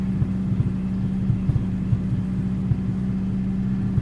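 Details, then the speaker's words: Honda Integra at idle after a timing belt job: a steady low rumble with small irregular pops or backfires about every half second. The owner suspects the timing is slightly off and also notes an exhaust leak. "if you hear those little pops I think when I did the top dead center for the timing belt I think one of those brackets might be off timing a little bit so you'll hear backfiring"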